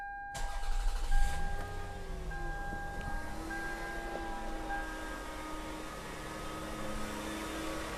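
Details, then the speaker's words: 2001 Toyota Camry V6 just after alternator replacement and battery reconnection: starts quickly and settles into a quiet, even idle with no belt squeal or chirp; belt drive sounds smooth and healthy. "so if you come over here there's no squealing it it looks nice and smooth everything's torqued down"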